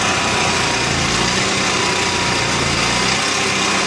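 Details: Onan MicroQuiet 4000 generator: the engine idles at a high buzz that wavers and stumbles instead of holding even, despite a clean carb, new air filter, steady fuel pump flow and a near-new spark plug; rough idle, cause not found.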